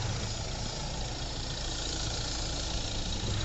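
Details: 2009 Hyundai i20 diesel after a full engine overhaul, timing set, diesel filter changed and a test drive: steady, even idle with a low regular clatter and no knock. Normal idle, repair fixed the noise.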